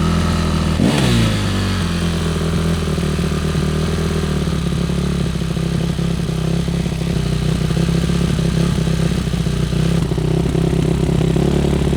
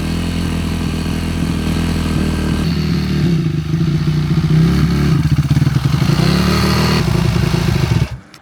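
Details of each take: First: Yamaha YZ450F single-cylinder four-stroke after carburetor cleaning, oil change and hot-start troubleshooting: idles steadily, revs up cleanly and drops back evenly with no misses or popping. Normal running and revving. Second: Yamaha YZ450F single-cylinder four-stroke after carburetor cleaning: fast, busy idle with some clatter, well above a normal tickover, then cuts off. Rider notes it runs at quite high revs; high idle speed.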